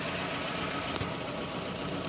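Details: 2009 Toyota Camry idle, codes P0171 system too lean bank 1 and P0303 cylinder 3 misfire, coolant about 68°, coils and injectors being scoped: slightly lumpy uneven idle with faint stumble, misfire.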